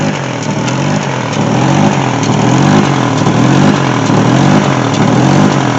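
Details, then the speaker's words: 2002 Chevy Trailblazer with check engine light and code P0507: idle RPM swells and sags about once a second and sounds funny, a hunting idle; fixed by replacing throttle body, one ignition coil pack and fuel regulator. "So this is one of the complaint by the customer, that the RPM is going up and down. And also it sounds funny."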